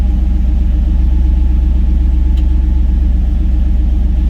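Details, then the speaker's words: Turbo EFI 460 V8 with VS Racing S480 turbo, warming up after leaning out warm-up enrichment back to target: even steady idle, no misfire or ticking; oil and fuel pressure right, no leaks. "Man, it sounds good. Oil pressure, fuel pressure right on the money. No leaks."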